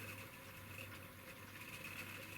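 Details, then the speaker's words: Vintage controller running a Tri-ang Class 08 diesel shunter at crawl, scale speed. A loud buzzing hum with a sharp high whine over the motor, far noisier than with the other controllers at this speed, with some jerkiness; noisy, jerky low-speed running. "it's making a lot more noise you perhaps can't pick it up in the video but it's making a lot more noise than any of the other controllers at this speed"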